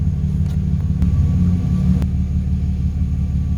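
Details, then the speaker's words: Idle after fixing a vacuum leak (old PCV valve suspected) and a tune-up, with the scan tool showing O2 sensors working and the idle holding steady. Deep, even rumble with no ticking, jumping or dipping; healthy normal idle. "that's what we want wanted holding steady not the joint jumping dipping anything like that"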